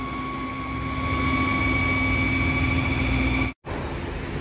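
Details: Steady high whistle over car engine idle under the hood, from a leaking PCV oil separator diaphragm; technicians had suspected tensioner, idler bearing, drive belt, AC compressor or fan; diaphragm patched with bicycle inner tube since no spare parts.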